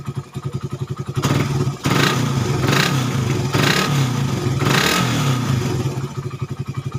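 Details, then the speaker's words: Suzuki Satria FU 150 cc after correcting a cam chain replacement with wrongly set timing (top): steady single-cylinder putter, clean even revs rising and falling, back to even idle; healthy now, previously erratic idle, rough, weak, fuel-thirsty. "ini real nyata, dan ini hasilnya udah beda. Dan tadinya langsamnya udah kacau dan suara banget kasar, dan motor loyo yang pasti BBM boros."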